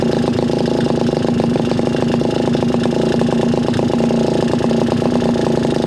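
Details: Garelli SSXL moped two-stroke, timing rough-set with limited advance, poor carburetor: uneven, stumbling pops instead of a steady beat, wandering as the throttle is pumped; rough, unstable idle, cause not confirmed.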